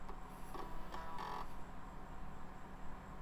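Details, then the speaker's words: Salvaged retro PC booting a DOS floppy disk: short buzzy seek chatters and steady head stepping over low hum; floppy drive reads boot disk cleanly. "and we are booting floppy dive sounds great"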